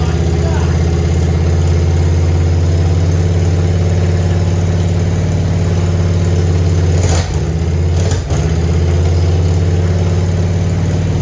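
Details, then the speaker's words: Grandpa's Harley-Davidson, off the road over 15 years, first start after adding about half a gallon: steady deep lumpy V-twin beat at fast idle, even and strong with no knocks or misses, though it is leaking oil under pressure. "Still got plenty of oil in it, but I was hoping it would stop. It sounds good, though. I'll give it that."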